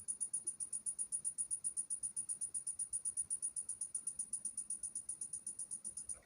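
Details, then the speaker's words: Onida 20-inch colour TV, supply board, just switched on: fast, steady high-pitched ticking about seven per second from inside the set; power supply struggling to start, fault on the board, section not yet found. "इसके अंदर से कुछ आवाज़ आ रही है, तो हमने इसको खोल रखा है।"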